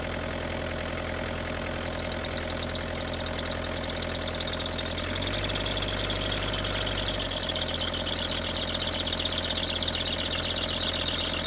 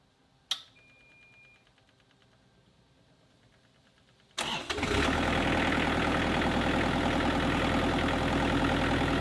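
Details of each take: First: Kubota KX121-3 excavator with an overheating problem, diesel idling: a thin, high, wavering squeal over the engine. The owner believes the belt driving the water pump, fan and alternator is slipping. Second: Kubota KX121-3 excavator after replacing and tensioning the water pump/fan and A/C belts. The diesel cranks, catches after a few seconds and settles to an even idle with the former belt squeal gone.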